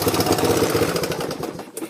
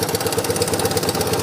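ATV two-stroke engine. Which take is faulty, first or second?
first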